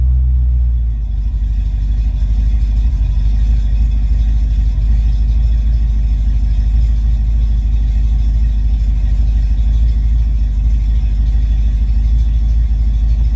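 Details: Ford Mustang Foxbody V8 with rebuilt, tested A9L mass air ECU: deep steady rumble holding even, no stumble or misfire, closed-loop idle around 800-900 rpm and revs without breakup; normal idle and revs.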